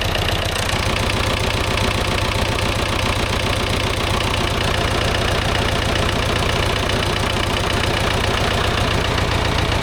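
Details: David Brown 990 diesel tractor abandoned 20 years after tipping over while running, fuel system flushed, fresh fuel, air filter checked, oil not yet changed: steady even clatter about four pulses a second, no stumbles or heavy knocks; runs, sounds not bad.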